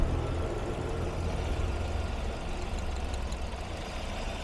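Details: Ford Focus after three failed ignition coils were dealt with and water found in the plug area: steady, even low idle rumble with no stumble or shake, all cylinders working; normal idle.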